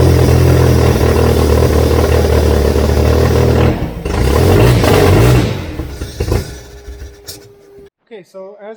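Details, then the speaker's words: VW Beetle catches on hand-added fuel and revs roughly for about five seconds, then dies. Something is keeping the injectors from injecting fuel, or fuel pressure is too low. "just saw if I add fuel it runs so clearly something is keeping the injectors from injecting fuel or my fuel pressure is tooo low"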